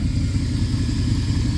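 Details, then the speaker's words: 2002 Dodge Durango SXT, 294,000 miles, off the road two years, running after battery cables tightened and battery charged: steady even low rumble with smooth regular firing, no knocks or ticks; idles perfect. Normal idle. "anyway, it runs and it idles perfect."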